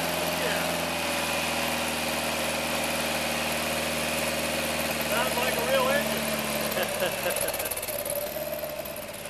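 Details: 1960 MGA engine, first start since early 1970s after rebuild, smelling rich with too much choke: steady, even idle with smooth low hum, no knocks or misfires, slight wobble near end; healthy.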